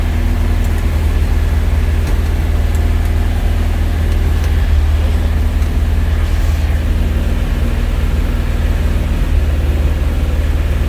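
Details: 1971 Alfa Romeo 1750 GTV with manual transmission, engine cold: an even, steady low rumble with no misses, held a bit fast; the idle sits high while cold and may need adjusting.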